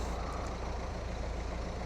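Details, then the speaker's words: Diesel car with the whole car vibrating heavily at idle: heavy, low rumble with an uneven, lumpy pulse. Injectors are doubted because no fault showed at first; a later scan gave P1445, a DPF additive quantity exceeded. "but the whole car is vibrating quite heavily, but you'd think if it was injectors, then it would come up."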